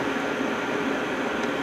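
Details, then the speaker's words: Hcalory Toolbox 2S Plus diesel heater, after shutdown, running its cool-off period. The fan gives a steady, even hush with no rattles, knocks or pulsing. Normal fan cool-down. "And it's going to go through its cool off period."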